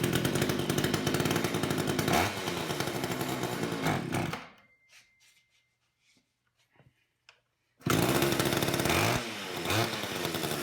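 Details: Long-stored old Craftsman chainsaw, chain off, choked and pulling fuel through: revs strongly, dies a few seconds, restarts and runs steadily without sputtering; carburettor won't need rebuild, just adjustment to idle.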